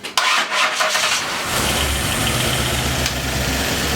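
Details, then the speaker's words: Freshly built donor Ford 302 with a new cam after correcting a distributor installed 180° out, no radiator fitted, 50 psi oil pressure while cranking: brief cranking, then it catches cleanly into a smooth, even idle; normal start. "When I was cranking on it, I seen 50 pounds of oil pressure. So Oh, okay. yeah, it sounded healthy. Sounded Yeah, really sounds good."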